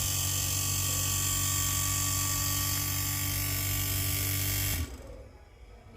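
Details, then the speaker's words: Panasonic inverter air conditioner: a steady motor hum with a thin whine runs about five seconds, then cuts out abruptly. It shuts off shortly after starting. "Of হয়ে গেল। হ্যাঁ, বোঝা যাচ্ছে এটা প্রথম gear থেকেই"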